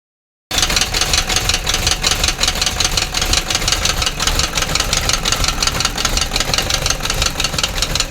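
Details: An idling engine with a busy, fast ticking knock layered steadily but unevenly over its run; a knock at idle, cause not identified.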